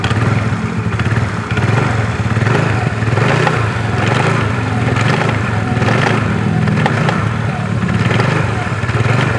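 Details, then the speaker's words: Yamaha Mio scooter, engine revved with throttle blips: rough knocking clatter from the CVT that worsens with revs; cause suspected, not confirmed. "Oke jadi seperti itu guys bunyinya dia bunyi kasar kalau di gas sangat terdengar bunyi seperti tadi"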